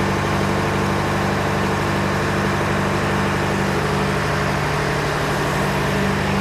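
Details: John Deere 401C diesel idling in neutral with a lopsided, loping, uneven pulse; cylinders one to three hot to the touch, number four stone cold, one cylinder not pulling its weight, dead cylinder from a faulty injector. Block is cracked, liner O-ring leaks suspected.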